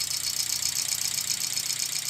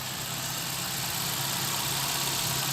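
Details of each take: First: VW Gol G4 EA111 petrol engine, cold at start-up, idling rough with shaking and a fast metallic clatter; oil pressure just under 2 bar at about 1,800–1,900 rpm; lifter noise suspected, cause of misfire and noise not yet found. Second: VW Gol G4 EA111 engine idling after repair of a broken, dislodged rocker arm; the earlier loud valvetrain tapping is gone, leaving a steady, even idle hum with no ticking: normal idle.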